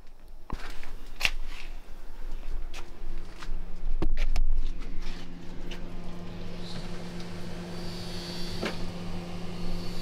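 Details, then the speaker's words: Refrigerator that had stopped refrigerating, just plugged in after a thorough cleaning: a few clicks and knocks, then a steady low hum as the compressor and fan run. Sounds like it's working. "plugged it in and everything seems to be running the compressor is running fan is running sounds like it's working"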